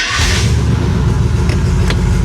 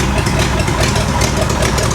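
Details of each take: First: 1970 International D1000 V8 pickup, abandoned over 20 years: catches quickly after a brief crank and settles into a steady, even low idle, charging 14 volts; idle expected to clean up when warm. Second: 1970 International D1000 pickup, abandoned over 20 years, just started cold, charging 14 volts: loud, lumpy, uneven low idle; expected to clean up as it warms.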